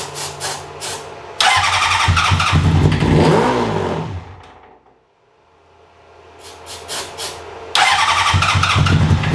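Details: 2003 Honda CBR600RR project bike, previously ran only about 15 seconds: starter whirs in repeated bursts, engine never catches; has gas, spark, oil and coolant.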